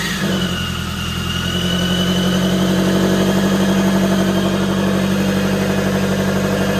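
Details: Supercharged automatic Scion FR-S after repair of a dropped rocker arm and broken valve cover, run briefly with piping partly disconnected: loud but steady even idle, smooth low drone, no knocks, ticks or rattles; normal idle.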